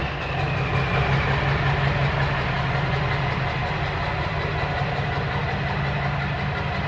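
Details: Dually diesel pickup idling just after straight-piping, muffler removed; loud, steady open-exhaust throb around three pulses a second, even and settled. Owner suspects a slight misfire and smoke only when revved, none at idle. Normal idle.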